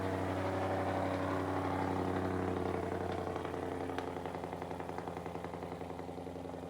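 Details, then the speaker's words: Brand new Ford 5.0 crate V8 in an S550 Mustang drift build, first start: smooth, even idle that settles and quietens, some smoke, no ticking or clatter; healthy normal idle. "Well, that quiets up pretty nicely. That's not too terrible."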